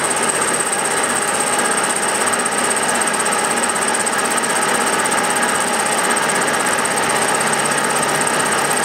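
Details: Milling a vee-block from dense old forklift-tine steel with carbide cutters, an angle cutter and coolant, taking 1 mm cuts: a dense, steady rattling cut with fast, uneven chatter beneath, louder with depth. The cutter hammers from a cheap Chinese arbor's runout.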